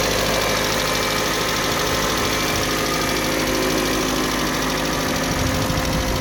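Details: Kia Sportage 3 at idle: fast, even ticking knock over the engine's steady hum; internal engine knock, cause not yet identified.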